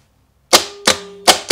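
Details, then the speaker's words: Bench starter solenoid energized to simulate the vehicle click, drawing almost 60 amps, then switched through a cube (start) relay; four sharp metallic clicks in on-off pairs about a third of a second apart as the solenoid pulls in and releases. "able to activate the solenoid to simulate the click like you would see in a vehicle"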